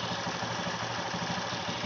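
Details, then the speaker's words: Honda Beat Street scooter CVT at idle after replacing the roller housing and rollers: smooth steady idle with no rattle or chatter from the belt drive; earlier noise gone, repair successful. "Oke untuk suara tripbase dah ilang maka menandakan pekerjaan ini sudah berhasil"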